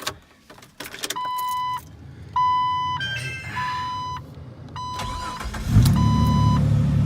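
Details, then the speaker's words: 2002 Jeep TJ, 4.0 straight-six, after a new crankshaft position sensor: warning chime, then a brief crank and the engine catches at once and runs smoothly. The previous rough, struggling start is fixed. "that started better than it ever has Wow Oh guys it looks like holy moly I've never had it start that clean before so it looked like that fixed my rough start problem"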